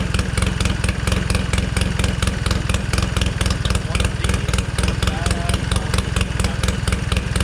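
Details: 1969 Polaris Colt 303 Wankel rotary snowmobile, restored after years of sitting, carburetor settings finalized in warm weather: fast, even popping beat, steady with no misses or surging; normal idle.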